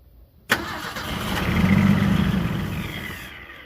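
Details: 1976 Ford Power House engine: sharp catch, buzzing run building a second or two then dying within about three seconds; spark confirmed present, suspected fuel delivery problem, possible vacuum leak.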